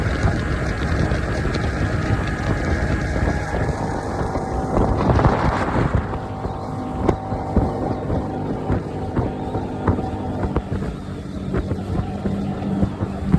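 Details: Honda 60 outboard after replacing a bad fuel pump: steady, even drone under heavy wind rush with no misses or surging; runs smoothly and healthy.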